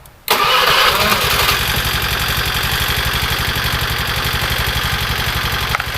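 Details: Honda Vario 110 carburetor scooter, after repairing the dead electric starter and electrics: brief starter whir, then the engine catches cleanly and settles into a steady, even idle; normal electric start.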